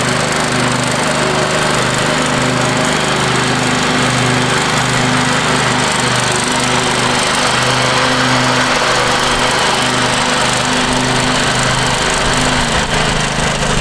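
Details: Free Craftsman riding mower, reportedly quit running, now cleaned and power washed, mowing the front yard with the deck down: the single-cylinder drone holds a steady, even beat through the pass with no misses or knocks. Normal, healthy running.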